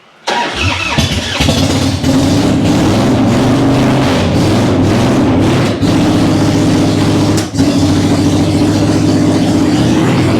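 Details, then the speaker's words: Cold-natured vintage Harley big twin (Panhead, Ironhead or Evo) started cold with choke pulled, a couple of fuel squirts and a low battery; short crank, catches, then a steady lumpy idle with small dips, no coughing or knocks. Runs great once warm: normal. "There's no coughing. She runs great when she's warm. She's just cold-natured."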